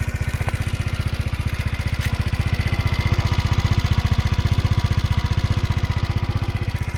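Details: Motino Techno 50 four-stroke scooter (YY50QT engine), rebuilt with new case, valve clearance intake 0.05, exhaust 0.10, timing checked: steady even idle putter, about three beats a second, no knock or tick; runs normally but gets extremely hot after a few km, cause unknown.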